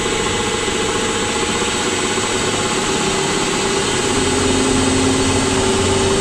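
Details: Rockwell horizontal mill running on a newly installed VFD, about 24 degrees outside: a steady motor hum with a faint thin whine that steps up in pitch partway through, a noise heard in the mill head, cause unclear.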